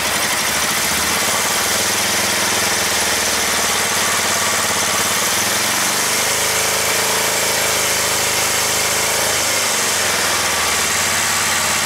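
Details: Kawasaki ER-5 twin, radiator cap off and fuel tank removed to hear it better: uneven, lumpy idle with massive thumping, loud in the bottom end and a beat that drops out, intermittently firing on one cylinder.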